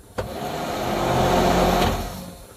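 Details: Off-road utility vehicle before rewiring, key off yet accessories stay on; steady blower hum swells and holds about two seconds, heater fan powered without ignition; accessory wiring bypasses ignition, to be fixed with a relay.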